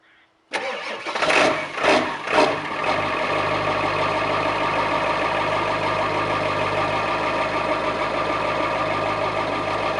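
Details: 2001 Ford F350 7.3 PowerStroke diesel, 325,000 miles, cold start after 14 hours sitting, about 52°F after a 27°F night: slow cranking, heavy lumps catch, then clattery idle with uneven lope; rough cold idle, suspected bad injectors.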